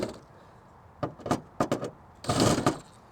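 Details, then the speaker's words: Toyota 4Runner/Lexus GX460-type SUV rear hatch slammed shut: a few sharp metallic clacks, then a heavy slam with a brief tinny rattle from the license plate frame, held by only two top screws and fully tightened; it marks the paint. "do you guys hear that that is the rattling of my license plate frame you probably think I'm not tighten it tighten enough"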